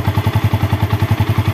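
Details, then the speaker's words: Old Yamaha Vixion, engine hot after a test ride, after replacing the water pump seal, bearing and impeller: a steady low thump of about eight to nine beats a second, with the earlier whistle gone. Normal idle. "Dan kita dengerin mesinnya, karena awalnya kan itu kan mesinnya dia bunyi ada siulannya. Ini kondisi mesin masih panas karena tadi sudah kita uji coba."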